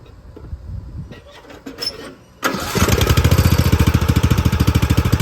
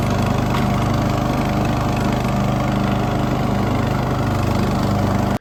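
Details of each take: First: Poulan XT gear-drive 42in lawn tractor fitted with a new Chinese carburetor. It cranks, catches, then runs with a nasty misfire, popping and surging. The owner hoped it was just the spark plug rather than carb jetting. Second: Poulan XT tractor mower single-cylinder engine after a new spark plug and carburettor idle and mixture screw adjustment: steady, even drone with no popping or surging until shutoff. Tuned up, idle smooth.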